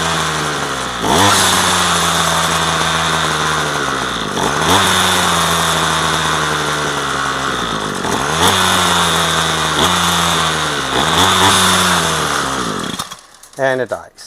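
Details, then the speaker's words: Garbage-found two-stroke string trimmer with new line, new filters and fresh fuel: the buzz surges and sags every few seconds and won't stay running. It dies with choke on and only keeps going on half choke; cause unknown, so low-speed mixture adjustment is next. "And this thing will rev out, but it won't stay running. I'm not not exactly sure why."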